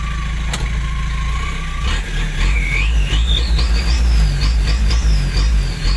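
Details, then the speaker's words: Nissan TD27 diesel fitted with a Z18 turbo, in service for several years: under a low diesel rumble, a clean whistle climbs steeply in pitch with revs and holds high. Healthy turbo spool. "คันนี้รถที่บ้านครับเป็นเครื่อง TD27เครื่อง27แล้วก็ใส่เทอร์โบของ Z18 เหมือนกันนะครับติดมาหลายปีแล้วก็ยังใช้งานได้ดี"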